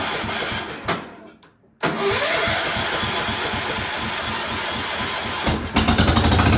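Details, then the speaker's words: Cub Cadet 1250 engine, unrun for seven years, after its saturated plug was torch-heated: it cranks, catches and runs briefly, then dies and coughs again; starts then stalls at low throttle, cause unknown, and it seems to like throttle. "now it like to take off but then it shuts off I don't know"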